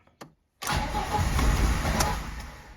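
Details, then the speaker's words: VAZ 2109 with 1.5 engine that had stopped starting; the regulator module was already replaced for missing rail pressure. After clearing crank-sensor error P0336, cranking brings a rough burst as it starts to catch and stumbles into an uneven idle. "вже щось щось хватило щось починає хватати Ну вже якийсь хоть якийсь признак є"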